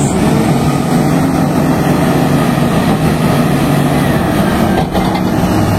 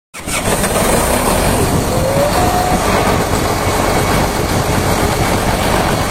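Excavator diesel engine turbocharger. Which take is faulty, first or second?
second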